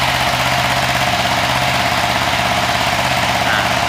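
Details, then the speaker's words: Suzuki FU150 fuel-injected single-cylinder, bored up with an aftermarket racing ECU, started after setting the TPS index to 1: a raised, steady idle with rpm too high; setting to be turned down toward about 900–1000 rpm. "Oke setelah sudah kita coba Nyalakan motor kita Nyalakan [Tepuk tangan] dulu rpm-nya tinggi"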